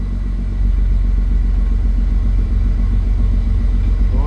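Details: Jeep six-cylinder cold start after injectors ultrasonically cleaned and corroded #6 injector plug found; even, steady idle with no misses, a slight hiccup typical of first morning start; previously two injectors sprayed badly.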